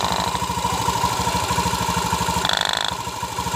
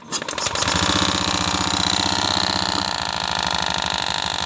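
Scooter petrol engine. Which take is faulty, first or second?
second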